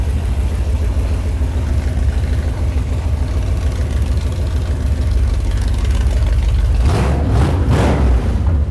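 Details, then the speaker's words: Small-block V8 swapped Mazda RX-7 after timing set, accelerator pump squirter increased and idle screws adjusted: deep steady even rumble at about 600 rpm with brief blip; smooth healthy idle. "We've got our small block powered RX-7 fired up, sounding absolutely killer. I've got the timing dialed in."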